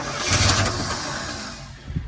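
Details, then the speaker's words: 1966 Chevy C10 V8 barn find, unknown time since last run, cranked via a cheater switch on the starter with old varnished fuel: starter churning with ragged firing pulses as it almost catches, then fades; it wants to start. "There we go. Hey, that thing wants to start."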